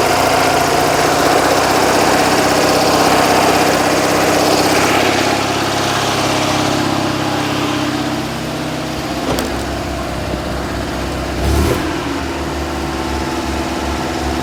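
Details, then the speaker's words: Invacar ("Tuk"), small two-stroke, just dug out of storage, cold while reversing out: fast idle then speed sags and wanders, unsteady cold idle; owner suspects the choke is sticking, "that's zero choke"; not confirmed. "I think the choke's sticking. That's zero choke."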